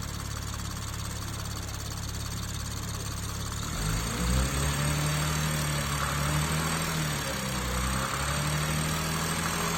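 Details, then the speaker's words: BMW M240i with newly built B58 engine (rated to 1000 whp) after catastrophic failure, first start: steady low rumble settling into a smooth idle with no knocks or ticks; sounds like stock. "Sounds exactly like the stock motor. I can't believe it. It sounds so smooth."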